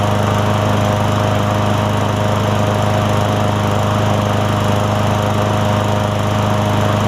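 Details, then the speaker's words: Craftsman M100 push mower after carburetor cleaning, primed and started: a steady, even buzz with no stumbles or surging; it now runs cleanly. "So there we go. Nothing too crazy there, guys."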